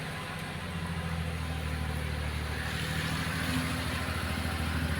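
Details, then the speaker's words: Maruti Suzuki Alto that had low pickup after head work, now climbing a big slope easily in first gear with only light throttle. A steady, even drone fires smoothly with no misses or knocks; the engine pulls cleanly. "Simple ആയിട്ട് ഈ ഒരു വലിയൊരു കേറ്റം ഈ വണ്ടി കേറുന്നത്"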